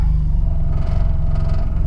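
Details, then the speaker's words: Nissan S14 240SX with SR20DET just reinstalled, first start in neutral: deep uneven rumble surging and sagging as if about to stall before steadying; rough idle, running slightly lean. "Kind of sounds like it wants to die. There we go."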